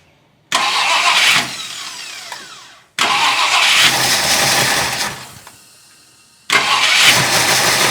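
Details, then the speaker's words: 1966 Ford Country Sedan FE big-block V8, first start after big solid-lifter cam swap, ignition timing not yet set, compression 110–120 on two cylinders: catches, runs unevenly a second or two, sags and dies; rough, rich running. "um, it didn't like that. It was running, but it didn't like it. It's also really rich."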